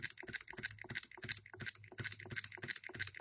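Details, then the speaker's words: Hand-built Coilmotorworks solenoid hit-and-miss electric model engine at 24 volts, put under load: sharp metallic clicks about three per second with no skipped beats, firing every stroke like a real gas hit-and-miss engine. "isn't a whole lot of movement when we put it under a load watch it'll hit every stroke"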